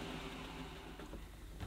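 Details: Near-mint 1970s Electrolux 504 vacuum cleaner, first switch-on: steady low motor hum with an even, deep bass tone and no rattles or dips; sounds healthy.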